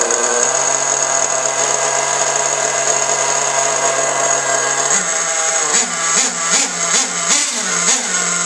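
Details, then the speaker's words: Losi 810 nitro RC buggy engine screaming at high revs, then revs bob instead of dying when the exhaust stinger is blocked; owner traces a suspected air leak to the fuel tank cap seal in the pressure system. "it acted like it wasn't sealed"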